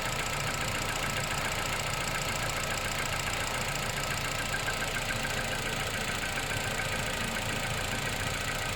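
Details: Car with 10,500 km, cold start; a rough, busy idle with loose ticking at about 200 per minute. Engine noise at cold start, source unclear.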